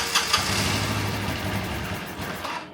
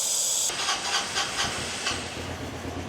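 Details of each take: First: 1985 Honda Elite scooter, revived after flushing old fuel and adjusting idle screw: small single settles from the starter into a steady, even idle with no knocks or misses; runs healthy. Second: 1985 Honda Elite scooter, sat unused for an unknown time, started on starting fluid sprayed into the suspected airbox intake: spray hiss, then the small engine catches and chugs unevenly before dying; fuel delivery fault, possibly carb-related.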